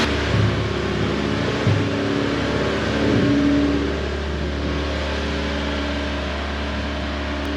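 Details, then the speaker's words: 1988 Honda CRX Si small four-cylinder on first start after long neglect and missed oil changes, with heavy exhaust smoke thought to be old residue burning off: settles into a smooth, even idle with no knocks or ticks; normal idle. "So, maybe I'll pull it out, drive it around a little bit, and see if it burns it off. But, it runs and the engine sounds healthy."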